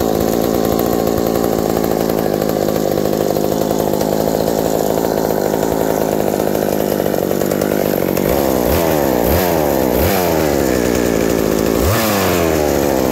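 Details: Reassembled McCulloch 790 MC101 two-stroke chainsaw with an ignition chip and a Walbro WB37 carburetor on a homemade adapter, bar and chain fitted: steady high idle with clean blips; idle drops slightly with the chain fitted but runs healthy.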